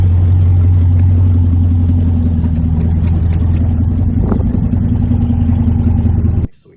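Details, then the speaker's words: Supercharged LT4 swap in an El Camino on its first test drive around the block: smooth, steady low drone under light driving, no knocks, ticks or vibration beats. Shifting fine, no driveshaft vibration. Normal running. "it was shifting through all the gears clutch was working fine there was no weird vibrations with the drive shaft or you know anything and everything was good"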